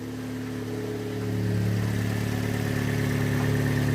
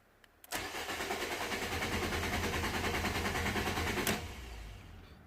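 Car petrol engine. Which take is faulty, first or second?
second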